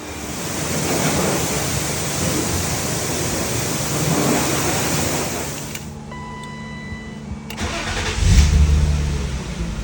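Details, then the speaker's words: BMW M50B25 fully warmed up, thermostat open, after all 24 hydraulic lifters were replaced. Before, the lifters ticked only when the engine was hot. Steady even idle with no lifter tick, quiet valvetrain. Normal warm idle after repair. "Ну вроде бы пока тишина работает хорошо Будем надеяться что компенсаторы больше стучать не будут"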